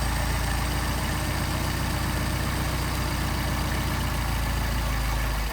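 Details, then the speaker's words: Mercedes 190SL with Solex carburetors: idle mixture screw turned in leans it, beat becomes loose and irregular and dips as it starts to cut out; idle mixture too lean. "so you screw it in it leans it and and starts to cut out the [Applause]"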